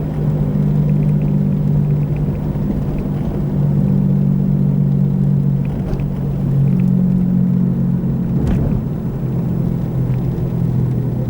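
Steady low droning hum with a faint wavering tone under road noise while cruising, pointing to a worn wheel bearing. Cause suspected, not confirmed.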